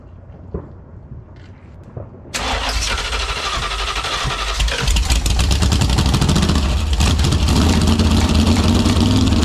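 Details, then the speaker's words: Ex-motorhome Mopar 440 big block with old Carter AFB four-barrel carb, test-run without cooling: cranks, catches, rough idle with irregular sharp pops; popping thought probably ignition or electrical. "not really sure what that popping was but it was probably ignition related or electrical"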